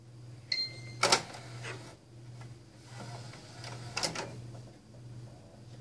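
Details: Xbox One disc drive: a steady hum with harsh scraping bursts. The drive grinds, scratches the discs' inner ring and will not play discs.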